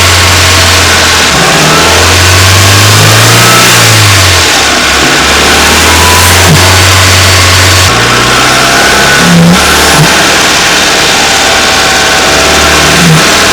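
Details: Renault Wind / Clio III 1.2 turbo 100hp, mic under the bonnet, revved to 2000 then 2800 rpm: faint airy hiss and flutter from the faulty original Bosch 0280142118 turbo dump valve, replaced by an adjustable recirculating dump valve.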